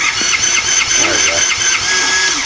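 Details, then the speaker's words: 50cc Japanese quad that sat for years, not running, with a finicky brake switch: thin, high whirring starter with quick repeating chirps, never catches; starter weak, cranking intermittently and unevenly. "sounds like the starter's a little messed up but it kind of works all right so cranks now"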